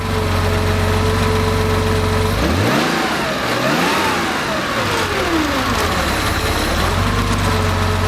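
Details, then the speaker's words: Rebuilt Porsche 2.7 L CIS-injected engine, before decel valve adjustment: steady idle, quick rev, throttle plate snaps shut and revs fall too fast and dip before settling; decel valve needs adjusting to slow the return to idle. "now when i wrap the engine it's returning to idle a little bit too fast so i want to slow that down"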